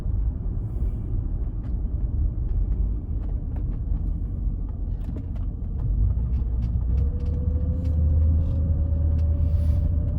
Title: Whining Noise